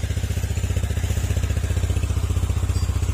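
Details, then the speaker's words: Honda Click scooter after repairs to a bought-used engine with many problems: even low putter about three beats a second, earlier ticking gone; now quiet, normal idle. "tahimik na siya mga sir. Wala na yung ang sakit ng ulo."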